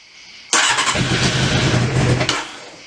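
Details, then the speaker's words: Carbureted Honda CBR600 after carb work and a fuel leak fix, unrun since March and cold, on choke: it catches and runs raggedly for about two seconds, then dies back. Idle screw adjustment likely needed. Rough cold start. "a little bit more choke again i gotta i think i gotta play with the idol a little maybe just let her let her break in again dry motor hasn't run in a long time but not bad definitely not bad at all"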